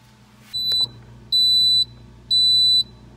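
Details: Kenmore Elite refrigerator: high, clean half-second door alarm beeps about once a second over a faint hum, won't stop; owner suspects the control module speaker, cause not confirmed.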